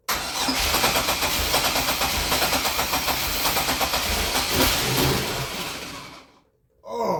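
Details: Grand Am GT with a 3800 NIC-cam swap, new coils and ICM, on a charged battery with the fuel pump audible: the starter churns for about six seconds with a couple of near-firings but never runs. The owner suspects the injectors aren't firing, possibly a melted connector pin; it cranks but won't start.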